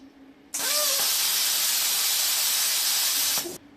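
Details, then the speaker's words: Plasma cutter fitted with a larger P90 torch, running the smaller-orifice consumable tip: sharp steady hiss starts cleanly, holds evenly about three seconds and cuts off, no spitting or crackle; normal plasma arc start. "did you notice that guys that sounded and even looked a lot better let's try it again see that guys it's a lot better right it doesn't spit and start"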